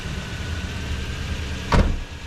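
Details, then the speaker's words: Toyota Tundra after the fuel pump was replaced and the blown main EFI fuse from a wrong jump-start fixed: starts right up with plenty of fuel pressure, steady even idle with one brief clunk; running normally. "start right up plenty of fuel pressure now I'm sure"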